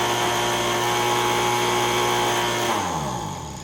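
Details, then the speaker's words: Echo ES-210 two-stroke leaf blower, 15–20 years old, after repair for RPM surging: high even scream at over 7,000 rpm full throttle with the blower tube fitted, no fluctuation, then winding down smoothly; healthy engine. "So as long as it starts now, I'm over the 7,000 RPM, it's not fluctuating."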